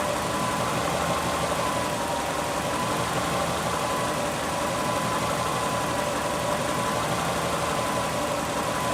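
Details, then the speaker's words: Subaru engine; steady idle with dense even rattle throughout, owner suspects early rod knock, unconfirmed. "If you have any input on what it sounds like, then please do, but I'm pretty convinced it's, early set rod knock."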